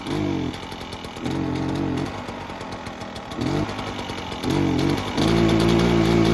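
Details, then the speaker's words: Echo PB-403T two-stroke backpack blower that sat for years, previously ran only on half choke and wouldn't rev to full throttle: now pops to crisp revs and drops to idle repeatedly, then holds high without stumbling. Normal idle and revving after the work. "all right cool so happy with that works pretty good"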